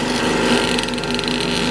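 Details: Blohm surface grinder hydraulic unit: steady mid-pitched hum with buzzing vibration from the adjustable-stroke pump; a valve shown on the schematic near the return-speed dump valve may be missing, cause unconfirmed; hydraulic unit vibration.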